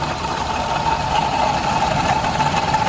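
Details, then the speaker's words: Suzuki Alto 800 at idle: thin steady constant-pitch whine over the engine, located by stethoscope at the water pump. Worn water pump bearing; pump replaced with genuine Suzuki part. "Mukhang nasa water pump. Mukhang nasa water pump ang ingay."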